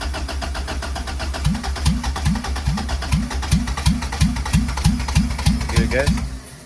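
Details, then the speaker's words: 1995 Honda Civic with turbo B20 swap, first turbo startup after priming: starter cranks in a steady chug about three times a second but never catches on first attempt; crank, no start, starts on second try. "attempt number one is a fail time number two let's see"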